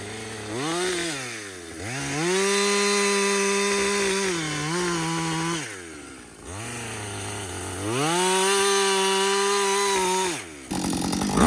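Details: Husqvarna 562XP 60cc chainsaw, after a dealer reflash of its software for dying when hot and stumbling, bucking windfall: screams to full revs, holds steady pitch cutting, drops cleanly to idle between cuts; normal under load.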